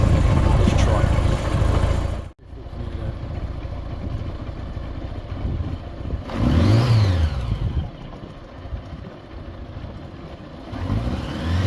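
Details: 40-year-old Honda Gold Wing GL1100: thin squeal from the tachometer gauge rising and falling with each rev; gauge drive oiled and cleaned with carb cleaner, graphite powder being tried.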